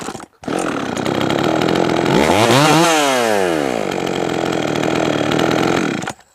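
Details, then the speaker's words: Jonsered 525 chainsaw with new crank seals and a rebuilt carburetor, after low-side and idle tuning. A crisp, steady two-stroke scream climbs and falls back cleanly without stumbling or surging; normal running, the best it has ever run. "I think it's running good now um that's the best that it's ever ran for sure"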